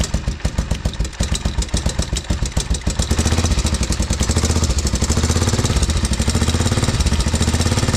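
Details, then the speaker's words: 1987 Honda Foreman TRX 350 ATV after oil change and carb cleaning, at idle: loud sharp top-end tapping about 2.5 knocks per second; either severe piston slap or valves badly out of adjustment, valve check planned first. "That is either some horrendous piston slap, which is not a good thing, or the valves are severely out of adjustment, which not a major thing."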